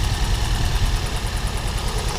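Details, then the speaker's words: Four-cylinder car after an engine-bay wash: low idle shakes and stumbles unevenly instead of pulsing steadily. Misfire, leaving a dead cylinder. "concerning it's running like absolute right now I'm just really gonna run for it then just see what happens but I hope it's alright"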